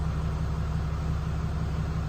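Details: 2020 Ram 2500 Cummins diesel idling just after an oil and fuel filter change with aftermarket filters. An even, low rumble with no knocks, misses or odd whines; idling cleanly and smoothly.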